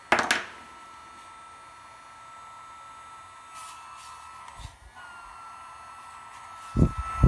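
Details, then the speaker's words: Gen1 BioLite CampStove after battery replacement: the small fan holds a thin, steady high whine, working normally. It has a timeout feature that shuts it off if not generating enough power. "they seem to be functioning as normal as a timeout feature where it will shut off if it's not generating enough electricity to power itself"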